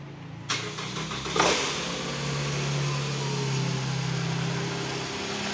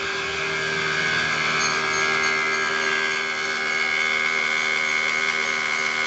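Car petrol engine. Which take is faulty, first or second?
second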